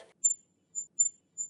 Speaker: That is my hearing aid whistling or what we call feedback. And it happens when the amplified sound from the hearing aid kind of escapes back out of the ear canal, jumps back into the hearing aid microphone and gets reamplified.